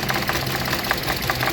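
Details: 2015 Hyundai Accent four-cylinder petrol, no fault codes: rough, lumpy idle stumbling about five times a second, single-cylinder misfire traced to cylinder 3 with scanner and test lamp.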